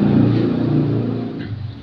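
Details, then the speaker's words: Kia Picanto after crankshaft position sensor replacement for hard starting and clearing stored fault codes; smooth even engine note easing down from a light rev, no stumble or hesitation; rescan shows no faults, running normally. "Okay na wala ng wala na yyung polti kanina so goods na siya okay"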